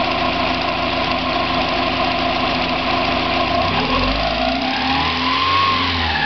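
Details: 1990 Mazda Miata idling and revving: light metallic rattle over idle that separates from the hydraulic lash adjusters on acceleration/deceleration, still present on 93 octane so not ping; owner wonders about rod knock or spun bearing, source unknown.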